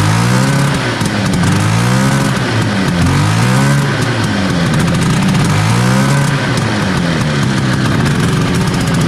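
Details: 1970 Herter's Husky snowmobile, 440 Sachs twin two-stroke, after plugs cleaned: lumpy, uneven note surging and sagging as it revs, one cylinder dropping out; misfire, weak intermittent spark on one side suspected, points, condenser or coil.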